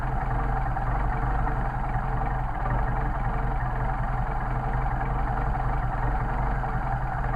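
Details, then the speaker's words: Mercedes 190SL rebuilt Solex carburetors: idle mixture screw turned a quarter turn or less until the engine slows or stumbles to find the midpoint. Steady low idle with a faint uneven pulse creeping in; idle degrading from mixture set off. "what you can do is dial it in and out until the engine stumbles then you can get your midpoint so we're going to hear the engine to slow down or stumble"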